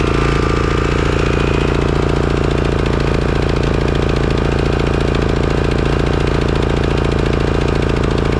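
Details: Craftsman/John Deere riding mower engine with a Walbro carburetor, after replacing the clogged carburetor that caused surging and misfire: small engine holds a steady, even beat at constant speed with no hunting or surging; runs smoothly.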